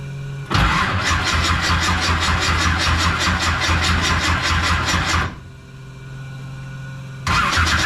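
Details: 1969 Camaro pro street V8, cold start after Holley carburetor rebuild; fires and settles into lumpy, loping idle with raspy exhaust, dies and restarts; owner suspects timing super retarded as headers get smoking hot.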